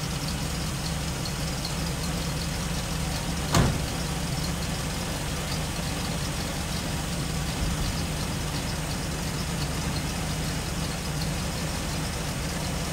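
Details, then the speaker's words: Freshly rebuilt small-block Chevy 350 bored .030 over (355), 10:1, in break-in, valves just adjusted, not fully warm, heard from front: steady even V8 idle, smooth low rumble, no ticks or misses except one brief click; normal idle. "I'll turn it on so everybody can see you there you go and you will hear it it's kind of not fully warm yet so they'll have a nice look to it"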